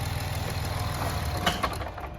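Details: Chrysler Town and Country / Dodge Caravan: low lumpy idle rumble falters and fades as engine dies when coming to a stop. Cause not confirmed.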